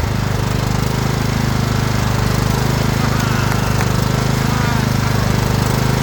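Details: Craftsman LT2000 riding mower: single-cylinder engine catches and settles into a steady, even thump with no misses or surging; runs normally.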